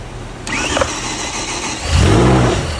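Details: BMW M5 drift-build project engine on its first start: the starter whirs briefly, then the engine catches and rises into a steady rev; it starts cleanly.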